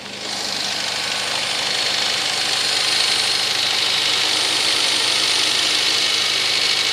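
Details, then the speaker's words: VAZ 2110 8-valve engine fully cold at start: fast, fairly regular light ticking knock, about two to three a second, over a hissy idle; fades as idle drops to 1000 rpm and disappears when warm; cause unknown. "Так, проблема заключается в следующем. Короче, двигатель совершенно холодный. И вот такой треск."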